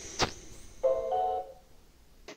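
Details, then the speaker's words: New Xiaomi Xiaowa robot vacuum placed on its charging base: a short start-up tune plays and cuts off, repeating in a loop. It does not charge or start, and the Wi-Fi light does not come on. "vocês podem ver ficou só repetindo essa mensagem de entrada em cortando repetindo cortando e não pegando caga né"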